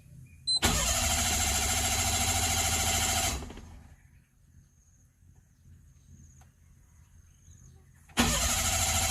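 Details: Mira car at a Thai garage: two bursts of steady quick cranking, about three compressions a second, engine never catches; no-start caused by a failed fuel pump, which was replaced.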